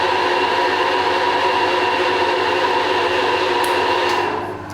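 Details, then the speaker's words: Combination milling machine horizontal spindle at fastest speed, about 82 dB versus 60 dBA background, run via phase changer: loud steady rushing roar with ringing edge unchanged in every gear; cause under investigation. "Okay, so no matter what gear I change on this thing, it is still very, very noisy."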